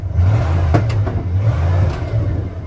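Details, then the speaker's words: Abandoned 1991 Ford F-150 XL 4x4 early fuel injection, recently revived with fresh plugs and oil, engine bay just washed (possible moisture): uneven catches and hiccups just after starting; stumble, owners plan to check coil, cause unconfirmed. "it's pretty good. It's that stumble in the beginning. We need to check."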